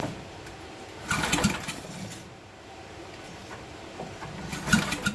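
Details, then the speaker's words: 1974 Briggs & Stratton 8hp 190402 with a loose part just squeezed tighter: two recoil pulls turn it over with no firing and no spark seen. "Well, I don't see spark, so I guess we will investigate a little further, won't we?"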